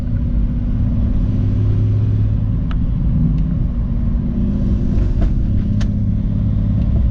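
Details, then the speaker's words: Car driven after work on the spark plugs and a vacuum-leak hose to cure a misfire: steady, even engine rumble under way with no stumbles or dropped beats, pulling smoothly on all cylinders; normal running. "but let's go ahead and go for a drive and see how she does and then if she does pretty good I'm gonna go go ahead and try to get my hat um free card it's right over here alright guys was so far she sounds pretty good"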